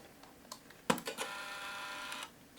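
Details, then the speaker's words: Untested used AA-powered compact digital camera with small optical zoom, lens often noisy on this model: a click, then about a second of buzzy, whirring motor as the lens runs out; noisy lens zoom motor, though it takes good pictures. "And that's made this camera on the used resale market not have a ton of value. The lens is often noisy with this as well."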